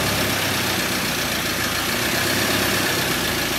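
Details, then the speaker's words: 2013 Ford Ranger 2.2 TDCi with newly fitted reconditioned engine, first run: even, steady diesel clatter at idle with no knocks, misses or hunting, no engine lights; engine idling smoothly and sounds healthy. "Yeah, that sounds good. Yeah, it does sound alright."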